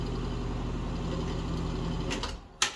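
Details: Bathroom exhaust fan before cleaning: steady low hum with a rough fluttering buzz, vibration suspected from dust on the blades and motor.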